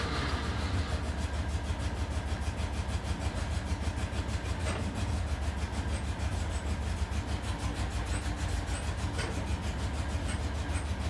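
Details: Rebuilt Porsche 912 flat-four in a 911, first start, idle stops set to keep it above 2000 rpm for cam break-in: low lumpy idle, uneven beat about three pulses a second; one carburetor dry after long storage, owner suspects stuck float; running on one bank.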